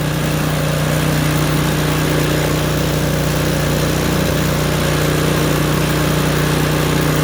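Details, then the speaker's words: Craftsman snowblower, roughly 3 to 4 years old, choke moved to full run after a rough, popping start: it now runs at an even, steady hum with no popping or misses. "Now the machine is at full run."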